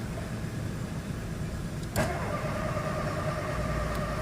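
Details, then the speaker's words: VW Fox 1.0 VHT after erasing ECU fault codes: starter churns steadily at about three turns a second with a clunk midway, engine never catches; cranks without starting. "Não dá partida. Sem chance. Novamente. Não parte."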